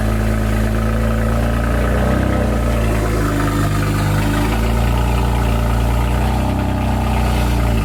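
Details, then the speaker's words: Car just back running after transmission install and clearing error codes, engine not warm yet; even settled idle with brief dips and swells in speed, smooth; normal idle. "sound good. I almost forgot what it sounded like. It's not warm. You just got to give it a second like last time."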